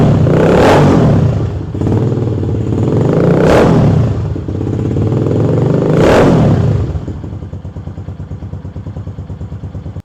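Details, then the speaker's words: KP Mini 150 single-cylinder bike with Nibbi carburetor and new muffler, baffle removed, not yet fully warm: loud open bark through three throttle blips, then a choppy idle; too loud for the owner's taste, but engine sounds healthy. "Okay, that's what it sounds like without the baffle in it. It's a little bit too loud for my taste. It does sound really good, but it's a little bit noisy."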